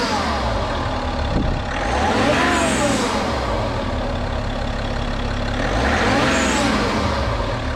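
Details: BMW F30/F31/F32 330d diesel, just after fitting a Pipercross aftermarket air filter: steady even diesel clatter with low rumble at idle, no knocks or misses; smooth healthy normal idle.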